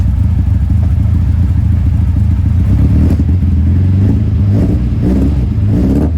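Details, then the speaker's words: 1971 Toyota Celica TA22 2TG after fitting a new stainless exhaust without the old whistling tip: a deep, throaty note rising and falling with revs, no whistle; healthy exhaust, carbs not yet synchronized. "much better also this got rid of that whistling sound it had due to having that exhaust tip before that sounded like some sort of a whistle now just browse like it's supposed to"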